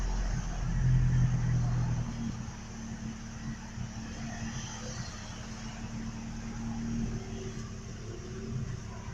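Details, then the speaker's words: Truck, nearly out of gas, new fuel filter just fitted, dies when put in gear, fuel smell: uneven lumpy idle rising and sagging with irregular backfire pops, sounding about to die; rough idle with backfiring, cause unknown. "It sound like it's going to die. It's running out of gas. I smell gas. I have a headache. And it like backfires still. I don't know why it's still backfiring."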